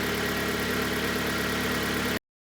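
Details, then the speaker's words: 2011 Kia Cerato 1.6 G4FC automatic, 212,000 km, after block resleeving for strong piston knock, heard from outside: smooth, even idle with a steady low hum and no knocking or tapping; engine now runs quietly. "давайте послушаем снаружи Да закончим работает ров работая тихо Это самое главное"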